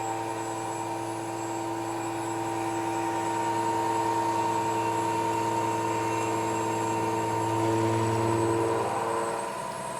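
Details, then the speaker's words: New KBC Tools milling machine, first cut with new Walter tooling machining a T-nut, feed increased: smooth steady cutting hum, even tones, no chatter or squeal; spindle and cutter running cleanly under load. "definitely making some chips cutter sounds good nice and smooth the machine sounds good"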